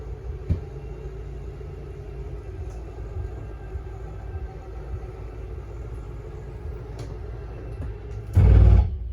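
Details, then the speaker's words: 2024 KZ Connect 241RESE travel trailer slide-out extending on the out button: a low steady motor drone while the room runs out, then a short louder wind-up and click at full travel, which is normal and signals full extension. "If I push and hold that out button, the slide out starts making its way out. Once it's at full extension, the motor's going to wind up and click. And that's when you know you're at your full extension."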